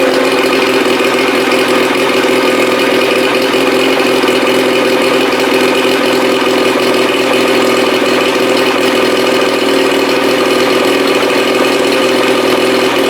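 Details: 1987 Johnson 40 hp two-stroke outboard on a 1975 16' Starcraft, first fire: steady fast buzzing drone that never drops; idle too high, owner suspects timing advance or throttle cam contact, unconfirmed.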